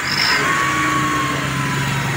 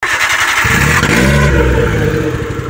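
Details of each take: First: Minivan after broken exhaust pipe to muffler was reattached and acetylene welded: engine runs at steady pace with even exhaust note, no puffing, ticking or rasp; normal exhaust note. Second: Minivan with exhaust pipe broken off where it joins the muffler, before acetylene welding repair: loud, raw, blatting exhaust roar from startup with harsh open firing pulses; exhaust leak.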